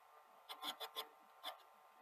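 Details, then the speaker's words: SL-HF950 Super Betamax VCR playing a blank tape: irregular dry rasping scrapes, five or six a second, as take-up reel table rubs; owner suspects worn plastic at take-up reel base, which rocks more, or idler distortion. "I can stop the noise. Now, part of me is wondering if the plastic at the base of the take-up reel is bad, because there seems to be a little bit more movement on this one, sort of rocking it back and forth this way, than this one."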